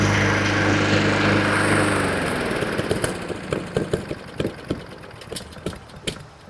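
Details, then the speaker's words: Honda 21-inch walk-behind self-propelled mower starts, runs about 30 seconds, then pops and dies; an ignition misfire stall traced to a faulty spark plug and fixed with a new NGK BPR5ES plug. "but usually that pop noise and that kind of sound, that's more than, in my experience, 99% of the time, it's an electrical issue, either spark or coil."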